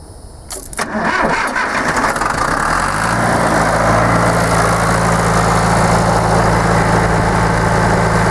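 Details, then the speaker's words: Diesel converted from mechanical to electric fuel pump (about 11 psi) with added pressure regulator, first start after installation to check fittings for leaks; starter cranks briefly, catches and settles into steady, even idle with low regular beat; normal. "And what I'm going to do is start it up and make sure there's no leaks at these fittings, and we want to adjust that pressure regulator, like I said, because this pump puts out, I think, around 11 psi, and that's just too much for my injector pump."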